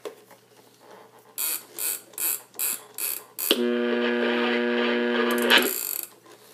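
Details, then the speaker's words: Newly restored Sony 8RC-25 Digimatic AM radio/alarm flip clock, alarm switched to buzzer: five evenly spaced buzzes about twice a second, then a steady buzzing tone over faint radio; the alarm buzzer works normally. "That was a buzzer. You can still hear the radio a little bit."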